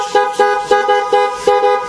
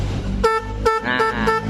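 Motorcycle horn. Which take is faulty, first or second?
second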